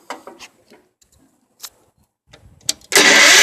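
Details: Old Wheel Horse tractor that sat three years, spark restored by cleaning the points: scattered cranking clicks, then it catches with a loud hiss and roar only on starting fluid. Hard start; the carburetor is found dirty.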